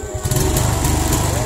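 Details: Suzuki Smash/Shogun SP 125 that had lost ignition, now running without a battery after jumping the yellow-white-striped wire to the red wire: the small single-cylinder catches and settles into a steady, even putter with no misses, running normally.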